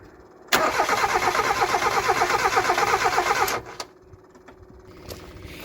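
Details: Mazda MX5/Eunos Roadster off the road 13 years, fuel pump hooked up, two-stroke oil mix for first start: steady rhythmic cranking about three beats a second for three seconds, never catching.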